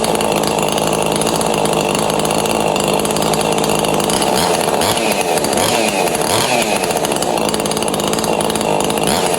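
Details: Neotec 843 chainsaw (Husky 543XP clone), mild-ported with squish clearance closed, test start after releasing the choke: strong, steady two-stroke buzz with quick throttle blips, clean pickup and no stumble; runs normally.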